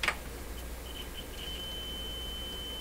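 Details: Telefunken Salzburg 5094W console being checked for low output on one channel: clean steady high test tone through a quiet hum with signal injected; this channel passes signal properly.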